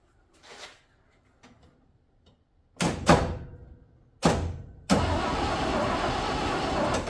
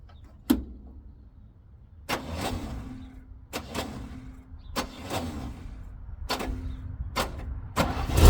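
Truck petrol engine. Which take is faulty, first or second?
first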